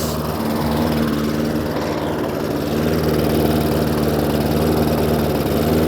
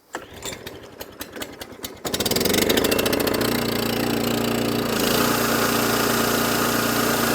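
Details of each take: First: Hayter Ranger 53 mower that would not reach full revs, after bending the throttle/governor spring clip forward as a manual adjustment: steady even high-rev drone, no surging or misfire; revs now where they should be. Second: Cold Kawasaki-engined mower, pull-started after fuel turned on and choked: catches and runs a steady buzzy drone that never quite settles clean and won't rev higher. Rough running, not right yet.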